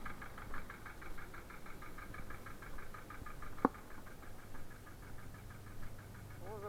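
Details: Engine just installed and started, idling with a steady, even knock about five beats a second.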